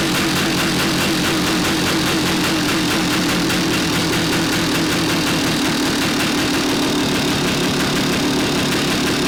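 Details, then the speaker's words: 1975 Yamaha DT400B 400cc two-stroke barn find, first run after decades sitting, no-spark fix; fast even metallic rattle ringing from the top of the cylinder, heavy piston slap despite good compression; rebore and crank rebuild planned. "Sounds just like a DT400, got a lot of piston slap. You can hear it ringing in the top of the cylinder head, so I think although the compression's good, we'll definitely give it a rebore, definitely rebuild the crank"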